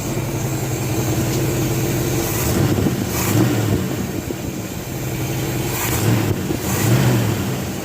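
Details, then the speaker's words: 1967 Chevelle V8 backdated to an all-original points distributor with copper Mallory wires and yellow Accel coil, timing set at 6 degrees initial and 38 degrees total; deep rumble revs smoothly and settles cleanly, no misses or rattles, running pretty good. "seems to run pretty good when it's like that so that distributor around pretty good"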